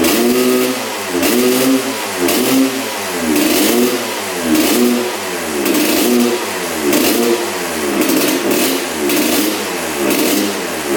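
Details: 1986/87 Honda CR125 two-stroke, new spark plug, 40:1 premix: revs rise and sag about once a second, stumbling at full throttle; bog, owner wonders if the pipe is clogged.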